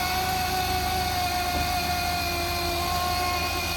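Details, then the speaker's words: 2007 Jeep Wrangler 3.8L at idle: thin steady whine sits high over the idle, fixed in pitch; failing alternator, replaced afterward. "all right so as you can hear this is the sound that the alternator started making once I hopped in the Jeep and I immediately knew something was off"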